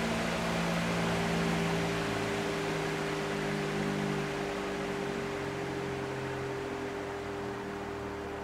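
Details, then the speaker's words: Fan on a cheap triac speed controller, turned down from full power: as it slows, a steady low electrical buzz and tonal hum sit under the air rush, caused by the triac chopping the mains waveform. "you can hear the buzzing which is the triac basically sending out square waves into the power supply and it makes that noise"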